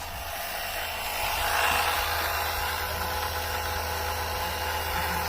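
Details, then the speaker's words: Electric oil extractor on a Mercedes whose oil pan holds 5.8 quarts: steady pump whir over a low hum, the motor note changes as it struggles for the last oil and starts drawing air, pan nearly empty. "all right it's trying to suck the rest of the oil out I can tell it's struggling to get the last bit of it out"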